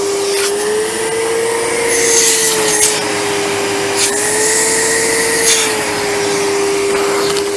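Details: 1997 Sebo X1 vacuum, just collected with worn filters, runs with a smooth steady motor hum, constant whine and light rubbing as it's moved; sounds healthy.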